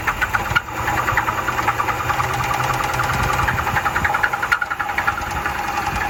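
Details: Used Dodge Charger inspected for purchase in Zephyrhills, Florida: it starts and runs, but with busy ticking and squeaky chatter over a rough low rumble; the inspectors suspect bad bearings, unconfirmed.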